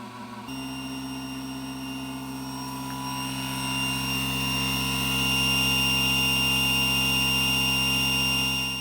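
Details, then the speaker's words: Newly assembled Langmuir MR-1 CNC mill running the spindle break-in program with the collet nut removed, at 1,000 and 8,000 RPM; a clean, steady high whine with several pure tones that swells smoothly, no knocks or rattles. Normal spindle run. "Slowing down the video a little bit here so you can hear the sound of the machine at 1,000 and 8,000 RPM."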